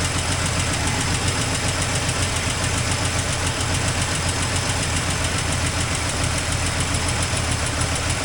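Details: 1984 Toyota Land Cruiser FJ60 first run in many years: dense, uneven low rumble with irregular chuffing pulses about three per second at idle. Rough running, exhaust leak noted.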